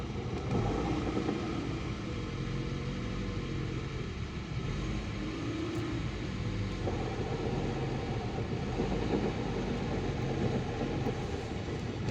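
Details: VAZ 2110 gearbox: a steady low hum under the engine note while driving stays fairly even with speed; suspected worn primary (input) shaft bearing, not confirmed.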